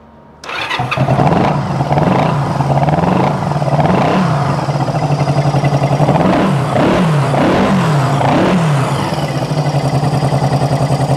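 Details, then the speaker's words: Cold motorcycle, unstarted for over a month and a half, started on choke with fuel leaking: it idles with throttle blips, and a sharp puffing tick on the exhaust note reveals an existing exhaust leak; still sounds good otherwise. "still got a little bit of an exhaust leak can't really do much about that right now still sounds good"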